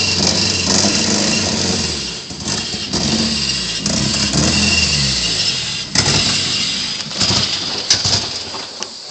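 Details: KA24DE swapped in from single to dual cam, ignition timing not yet set and exhaust not fully bolted on: engine catches and runs lumpy and uneven, with a loud sharp puffing hiss from the exhaust leak.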